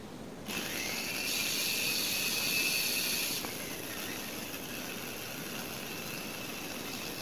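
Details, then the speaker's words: Knockoff Philips hand mixer that runs rough: a high steady motor whine drops to a lower speed after about three seconds as the rotation drags, with heavy commutator sparking. The brushes sit poorly against the armature seat or are pressed too hard. "Kalau berasnya terlalu ditekan juga ini bisa menyebabkan berat. Berat pada putarannya. Ini nyalanya juga banyak percikan-percikan apinya kayak gini."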